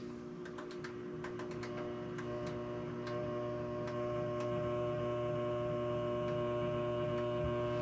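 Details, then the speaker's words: First alpha MidNite Solar Rosie inverter running off-grid at 240 V with its charger turned on low at 21 A: a low, steady electrical hum that firms slightly with a few faint clicks. This is normal charger noise. "so i'm gonna turn the charger on okay so you heard that little hum we're running the charger pretty low"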